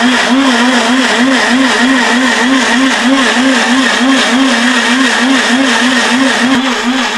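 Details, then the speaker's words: Atomberg Zenova mixer grinder, jar locked and running: loud, harsh high-speed motor drone with a steady pulsing warble about three times a second; very loud motor noise. "ഇതിന്റെ sound നിങ്ങൾക്ക് എത്രത്തോളം feel ചെയ്യാൻ കഴിയുമെന്ന് എനിക്കറിയില്ല but വളരെ loud ആയിട്ടുള്ള ഒരു noise"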